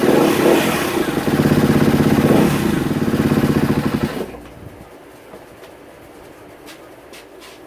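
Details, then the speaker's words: 2016 Kawasaki KX250F after sitting about five minutes: revs unevenly for about four seconds then abruptly dies; owner recognises the sound of the fuel pump not working. "it just died there what's going on let's see it's like the fuel pump is not working again I know that sound that's the sound of fuel pump that's not uh it's not working"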